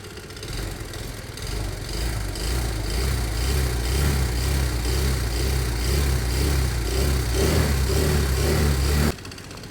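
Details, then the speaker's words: Small motorcycle at warm idle after about 12 minutes of running and riding: a light, uneven tick about twice a second over the putter. Valves probably need adjusting. "um still sounds a bit ta but I don't mind it being a bit ta they probably need adjusting"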